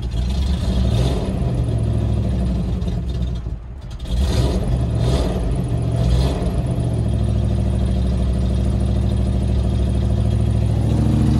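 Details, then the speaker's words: Manual Land Rover Discovery 1 started after sitting six months, owner suspects a bad head gasket from unexplained coolant loss; uneven, lumpy idle with low irregular beat and some clatter, settling only slightly, running rough, cause unconfirmed. "it doesn't sound very good at all but it lives"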